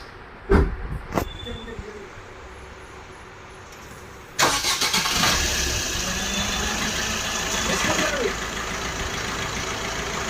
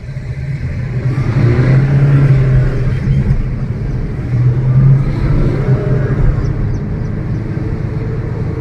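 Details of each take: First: Maruti Suzuki Ciaz, left wheel jacked up and driven at 60+ km/h checking for a loud wheel bearing: after handling noise, steady even whir with no grinding, rumble or clicking; this bearing sounds normal. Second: Maruti Suzuki Ciaz on a road test with windows open: a droning hum that swells and fades with road speed over tyre rumble. Likely a worn front wheel bearing.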